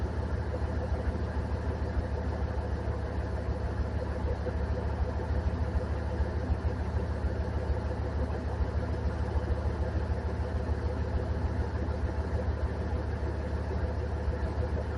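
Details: 2003 Dodge 2500 Hemi V8, first start after replacing the serpentine belt: steady, even low rumble at idle with no squeal, chirp or knock from the belt drive; normal idle.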